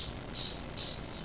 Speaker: today we're going to talk about a freewheel that's what this is okay that's a free will okay this is for bicycles in America number 40 sprocket okay and you can hear that thing clicking away